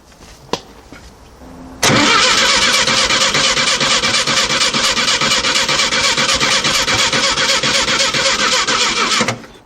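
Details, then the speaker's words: 1968 VW Type-3 Fastback, air-cooled, after dual carburetor and CB Performance hex bar linkage installation, weak battery: starter cranks steadily about seven seconds with no firing or sputter, slowing at the end; crank no start, owner plans to charge battery. "nope did not start for some reason didn't even sputter nothing I've got absolutely zero out of it"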